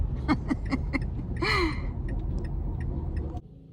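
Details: Car driving in cold weather, about a year after a brake job: short high chirping squeaks repeat four or five times a second over road rumble and die away as the car slows; a shop blamed the brake material.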